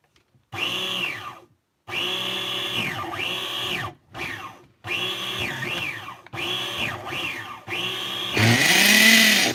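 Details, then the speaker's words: OFNA Jammin nitro RC truck: repeated short bursts of high spinning whine sagging in pitch each stroke, cranking hard against strong compression; normal cranking. "it fired up the compression is sickening though basically kill almost killed itself"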